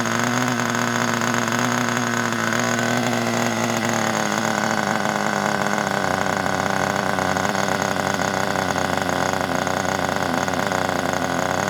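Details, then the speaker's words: Kyosho Pure 10 Alpha nitro RC car after pull-start repair, running possibly rich, with a non-original exhaust fitted: steady busy buzz at even revs with no misses or surging; normal running. "Pull start winning. Here we go. Sounds good with that exhaust on, doesn't it?"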